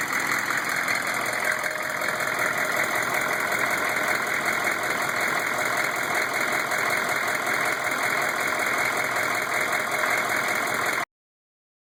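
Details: GM 6.5 diesel, newly installed rebuilt long block: idle with a steady knock about three a second beneath the clatter, recorded with the inspection cover off. Rocker oil flow weakens toward the rear; flex plate, converter bolts, rocker buttons and pushrods checked fine; cause unknown.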